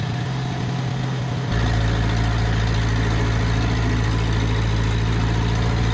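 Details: Ferguson T20 tractor, a barn find standing for 38 years, on its first outing after revival: the engine picks up at about 1.5 seconds and holds a steady, even, low idle chug. It runs cleanly.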